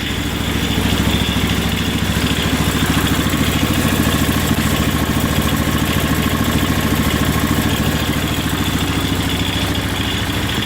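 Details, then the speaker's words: John Deere 210 garden tractor just after a cold start, having sat since July: a steady idle with a loose, fairly regular rattle on top, about two per second, from the variator pulley wobbling on a slack drive belt. "That rattling noise is the variator pulley because it's um cuz the belt the drive belts kind of hanging off of it. It's not tight to it. So, the pulleys are wobbling."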